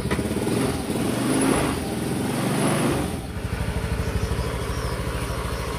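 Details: Honda Scoopy automatic scooter single-cylinder, freshly reassembled engine, kick-started after oil flow check: rough start thrash settles into steady, even putter with no knocks or rattles; running healthy.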